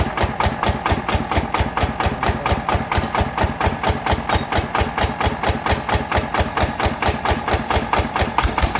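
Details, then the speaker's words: Jao Palang single-cylinder engine, side cover converted, after replacing noisy loose gears, reassembled and test-run: even, steady thumping about four beats a second, no grinding or gear clatter; normal running. "ตอนนี้ก็เสร็จเรียบร้อยนะครับสำหรับเครื่องอ่าแจาพลังนะครับจากที่เฟืองดังนะครับก็เดี๋ยวให้ติดให้ฟังเสียงนะครับ"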